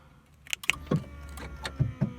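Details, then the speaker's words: 1995 VW Golf Mk3 after fitting an eBay remote central locking kit, with lock and unlock wires swapped after it first worked reversed; quick, even run of sharp thunks as the door locks fire in turn, working properly. "Right, I can hear the noise in the back, but..."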